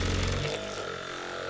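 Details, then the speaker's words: Budget Phum massage gun, removable 2500 mAh battery, about 60 dB measured: fast buzzing pulses settling into a steady motor tone that holds pace when pressed under load; motor healthy. "doesn't even take a hit that's a good sign"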